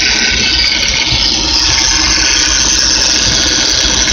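Constant high-pitched whirring hiss over a quiet idle that stays level throughout, typical of a worn bearing inside the power steering pump.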